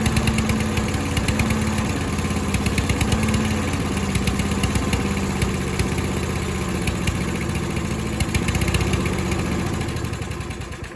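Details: Troy-Bilt self-propelled mower after a carburetor bowl cleaning. The small engine runs unevenly with a lumpy, hunting beat that fades toward the end; the float sits unlevel because of a faulty needle seat.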